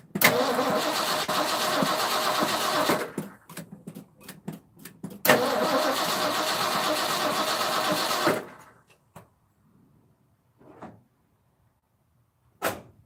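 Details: 1984 Ford F-250 4x4, 460 7.5 L V8, carburetor replacement, after switching to the second fuel tank: two roughly three-second bursts of steady cranking that never fire; carburetor dry as a whistle, no fuel reaching it, coil sparking good.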